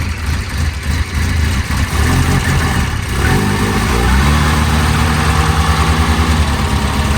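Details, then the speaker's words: 1992 Volvo 940 wagon, revived after sitting, radio suppression relay bypassed, airbox off: after a slight initial misfire, engine settles into a fairly even idle and revs up smoothly without stumbling. Running well. "Actually, that sounds really good. Look at that. That runs really good."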